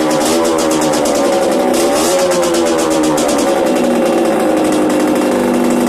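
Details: Yamaha DTR 125 two-stroke, first start after fitting unrestricted Gilera SC CDI, Big One exhaust, 240 main jet, powervalve fully open: crisp even note climbing cleanly through blips and settling back without misfire; revs healthily.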